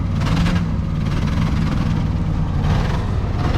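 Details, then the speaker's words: 1963 Ford Fairlane 500 260 V8, first start in 14 years, not smoking: deep steady idle with faint uneven stumble indicating a miss on one cylinder, carburetor sticking slightly; suspected plug wire or valve, unconfirmed; engine misfire at idle. "It's missing on, it's got a miss. Don't cut it off. Well, you can't. Carburetor sticking a little bit too."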